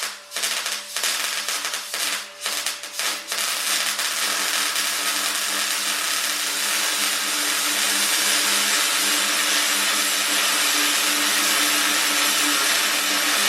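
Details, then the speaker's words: MIG welding with voltage and wire speed set about right, though power could have been slightly higher. After a few short starts it gives a steady, even crackling sizzle, the normal welding sound. "so this is the start point of the world so when I was welding the world I was making this kind of noise"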